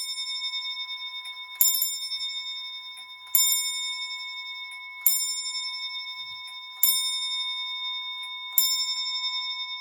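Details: Assembled Thomas Kefford longcase clock movement after rebushing of spools and centre pinion: five even, ringing bell strikes about 1.7 seconds apart over faint, amplified, in-beat ticking; healthy strike.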